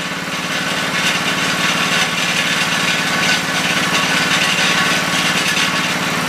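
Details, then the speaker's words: 5HP Briggs rototiller single-cylinder engine after fitting double carburetor-to-tank base gaskets: buzzing high idle with an uneven hunting beat that never settles; suspected mixture problem. "the idol was i got to a pretty decent point but it just seemed like it was a little much um either it would be too lean or too rich"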